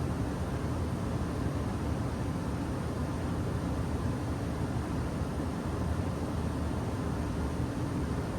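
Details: Home furnace blower running after changing the filter (filtration level 600); gap to be taped, owner notes a whistle through the vent when running. Constant low air rush with even hum, no rattle, scrape or squeal; blower running normally.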